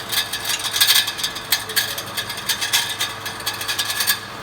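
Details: 2014 Mitsubishi Pajero Sport: quick irregular metallic rattling in the bellhousing, starting at engine start and growing with revs, from one of six torque converter-to-flywheel bolts backed out and struck by the spinning flywheel; its thread was damaged, so it was replaced.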